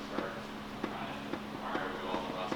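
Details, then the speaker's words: Subaru H6 engine for an STI swap, crankshaft levered fore and aft with a pry bar on a pulley bolt: sharp clunks about every half second; excessive thrust play, estimated 10–12 thou, not dial-indicated. "But you can hear how much thrust there is audibly. It's quite a bit, it's making quite a bit of noise."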